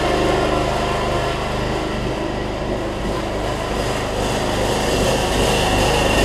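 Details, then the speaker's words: Troy-Bilt Bronco 42-inch 18.5 hp riding mower on a cold day, after a broken transaxle spring was replaced and it drives again: lumpy, wavering engine beat with no steady rhythm; owner suspects a clogged carburetor low-side jet needing drilling or cleaning. "I might have to say that carburetor back off and drill that low side jet out it is I still running like running like crud so to speak"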